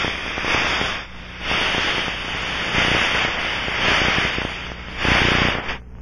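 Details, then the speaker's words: Aircraft pneumatic line under pressure scanned with an ultrasound probe at maximum sensitivity, fixed band mode: steady hissing rush swelling and fading as the probe passes the spot; pressurized gas leak. "begin scanning with the sensitivity set at maximum and use the fixed band mode the meter mode should be in the log position scan the area following the characteristic rushing sound"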